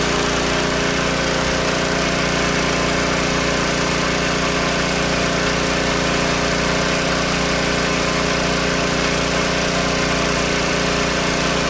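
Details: Old Tecumseh-powered generator revived after years outdoors in rain and snow; steady even single-cylinder drone at constant speed, no misses or knocks; only needs a little carb tuning once warm; outputs 115 V; normal running.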